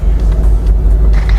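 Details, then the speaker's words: 2009 Volkswagen CC Sport Copart salvage project at idle: deep even rumble with no misses, knocks or ticks, steady smooth idle; healthy engine. "yeah the engine is running real smooth so"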